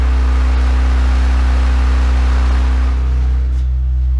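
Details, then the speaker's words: Kenwood KA-7100 amplifier, left channel only, at about 62.7 Hz and turned up: loud deep hum gains a rough buzzing edge as it clips and goes nonlinear, which the woofer reproduces. "once it starts flipping you'll hear the harmonic [Music] that's buzzing in there is when it starts going on linear and the speaker's going to reproduce that"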